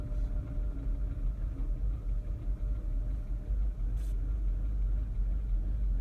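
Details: Mini R56 at idle: a deep, lumpy rumble with an uneven, stumbling beat, an engine misfire of unidentified cause.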